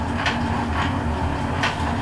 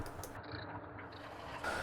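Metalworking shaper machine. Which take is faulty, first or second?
first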